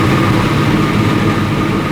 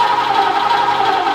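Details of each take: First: Sandman panel van V8 at smooth, even idle with a steady low rumble and no misfire on first start. After two days of no-fire, new coils, plugs, floats and idle mixture were tried; the cause was ignition leads in the wrong firing order, now corrected. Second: Sandman panel van, start attempt after fitting the distributor; ignition suspected 180 degrees out. The starter whirs and the engine turns over but never catches while the carb pours fuel, after an earlier carb fire. Crank, no start, wrong firing order.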